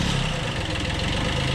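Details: 1991 Kubota B7100 HST diesel after fuel filter change, started on low throttle after glow plug heating: steady, even low-throttle chug with no knocks or misses; normal idle.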